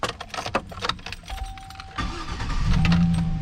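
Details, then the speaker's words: 2007 GMC Sierra, earlier a no-crank no-start blamed on an aftermarket remote-start device, after the repair: a couple of clicks, a short crank, then it catches at once into a steady idle; battery voltage is a little low. "turns on right away voltage is a little low"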